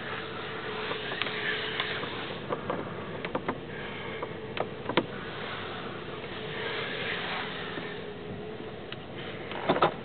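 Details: 2002 Dodge Durango petrol engine, cold weather and cold engine: faint steady mid-pitched tone with scattered sharp clicks for the first 10–15 minutes of driving, gone when warm or revved, never in summer; source unknown.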